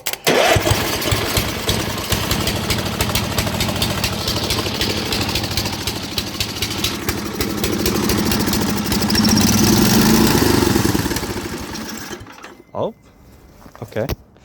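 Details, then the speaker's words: Free Murray riding mower with a reworked carburetor, mixture screw set 1.5 turns out from seated, fresh gas plus additive: the engine catches and runs unevenly, then surges, sags and dies when taken off choke. It runs only on choke; the sound suggests a lean mixture. "Let's put it back on choke, because I took it off choke and then she started"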